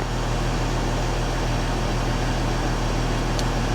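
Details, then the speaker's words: Mercedes ML350 with a replacement engine, first start after long cranking because the fuel system was dry, warning lights on: a smooth, steady idle hum with fan whoosh and no tapping. It idles and revs healthily. "Obviously we've got a few lights on we need to look at. But it runs, and just listen to it when it revs. It sounds good."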